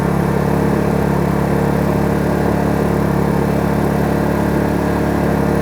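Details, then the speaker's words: Kraft&Dele KD681 3000W inverter generator warmed up, in eco mode with no load, heard from about 1 metre: steady, even mid-pitched hum with no knocks or surging. It is idling normally. "Ну ось такий рівень шуму екорежимі на відстані десь приблизно один метр"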